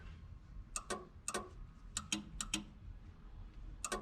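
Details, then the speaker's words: 1986 Buick Grand National, driver's door lock switch pressed lock/unlock: sharp dry relay clicks in quick pairs, showing the switch activates the relay though locks fail; door lock relay clicking. "if you hear that clicking sound but i'm doing the unlock and lock uh on the switch and it is activating the relay"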